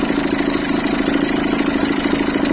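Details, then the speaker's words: Citroën C3 1.4 HDi diesel, cold idle after the starter was refitted: rapid fluttering rattle over the diesel clatter, steady with engine speed, from the accessory belt tensioner arm shaking. Failing accessory belt tensioner, to be replaced with the belt. "Par contre, tordeur là, à froid, ce que je vous disais. La gueule hein. Là elle bouge tellement vite qu'à la caméra on croit qu'elle bouge pas."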